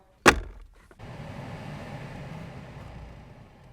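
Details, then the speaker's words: Alpina B7 blower running after the squeaking blower motor was replaced with a brand-new part: one thump, then a soft, even whoosh with no squeak or chirp, quiet before the foam is refitted. "all right it's nice and quiet once we put the foam and stuff in there we won't be able to hear it at all"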